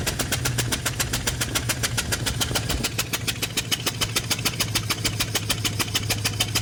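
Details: Chevy 1500 V8 with a cylinder 7 misfire and a swapped injector, running with the cylinder 7 spark plug removed: sharp, loud chuffing pops about three a second over the idle from the open plug hole.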